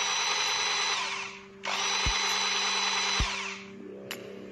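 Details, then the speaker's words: Makita 4327M jigsaw after about two years of use, run at speed setting one: smooth even whine in two runs, spinning down cleanly with no grinding or rattle; runs normally. "Mari kita nyalakan. Apakah masih berfungsi? Semuanya masih sangat baik, teman-teman."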